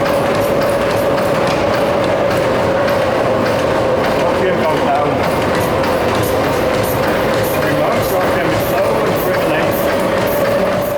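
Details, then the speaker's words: Century-old gasworks steam engine, speed regulator simulated by manually pulling the counterweight: rhythmic inlet steam hiss over a steady hum stops as the engine slows, then returns longer when released, bringing it back to target speed; normal governed running. "listen carefully how the hissing sound stops and the Machine slows down until when hosper releases the counterweight again the hissing returns but longer bringing the machine back to its Target speed on its own"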